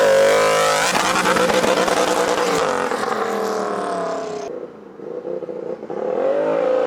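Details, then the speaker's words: Warmed-up turbocharged Royal Enfield special (R6 front end and brakes), throttle blips after idle: loud whistle rising and falling with each blip over the engine roar, brutal and beastly; normal turbo spooling. "Il y a une forme de bruit, ça fait un peu peur quand même, une espèce de brutalité, de bestialité dans les sifflements."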